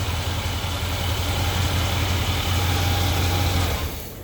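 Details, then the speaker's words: Warm engine idling after timing adjustment, started on first crank; steady, even low idle with smooth beat, no knocks or misses, alternator audible; normal idle. "We call that a one hit wonder. Hit that ignition one time and you wonder how it fired up like this."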